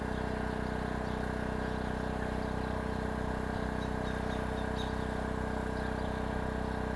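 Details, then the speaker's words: Oxseryn 2500 W inverter generator in eco mode, heard from 25 feet away while running almost 900 watts of heater load. A quiet, steady hum of even pitch with no surging or rattles. "that's not bad at all. If you're inside your house, you're not going to hear this thing at all."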